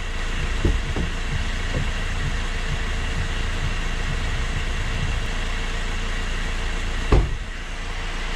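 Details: Car raised on a stand, front wheel spun in gear: steady low droning rumble with a couple of knocks, pointing to a worn front wheel bearing.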